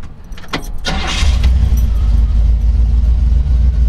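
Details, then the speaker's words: Start of a 1969 Jeepster Commando 4x4 resto-mod with a high-compression 350 Buick V8, 4-barrel, and 400 automatic. A couple of quick cranks, then it catches and settles into a deep, steady, even V8 idle; starts really easy, healthy. "Transfer case. Starts really easy."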